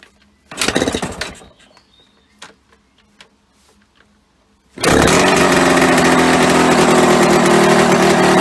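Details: Yamaha RD125LC two-stroke after standing 17 years: after a few clunks it catches and holds a fast, busy, steady buzz, idling too high; owner plans to turn the carburetor side screw to lower revs, also suspects an engine oil leak.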